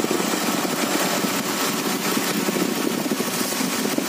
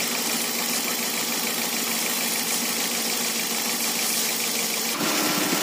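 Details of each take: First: Idling engine after tightening the V-belt, with water sprayed on it: a steady run under the spray hiss with no squeal or chirp. The belt, water pump and alternator pulleys still spin fast when wet, so the belt drive is healthy. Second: Idling engine with water sprayed on the belt drive: water hiss, then a thin steady squeal from the front. The V-belt slips when wet, causing a battery warning and heavy steering in rain; the belt is loose or its grooves are worn.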